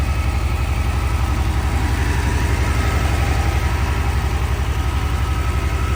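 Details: 1982 Porsche 911 Targa, same owner since 1983, sat about five years: steady fast even idle from cold, no knocks, ticks or smoke.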